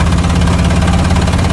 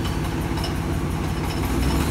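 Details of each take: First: 1999 Ford F250 Triton V10 with aluminum heads: heavy, rhythmic chuffing puff each cycle; spark plug blown out of its hole. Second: 1999 Ford F250 Triton V10 with aluminum heads after blown-out spark plug thread repair: low even idle rumble, no puffing or ticking from the cylinder; fixed, faint rattle is the A/C compressor clutch.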